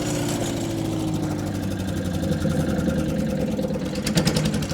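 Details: Wood chipper run after welding a broken ear and bolting the fuel tank tight with new fasteners, which was hoped to cut the rattle; steady, even speed with no loose-metal rattle. Normal running.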